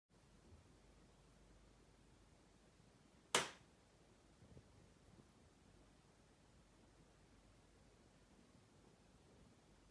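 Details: Sony BRAVIA XE80 (X800E) 55-inch 4K HDR TV, about 4 months old: sharp isolated loud pops crack at irregular intervals in a silent room, noises began about a week after purchase.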